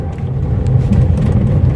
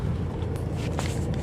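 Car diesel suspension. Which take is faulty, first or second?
first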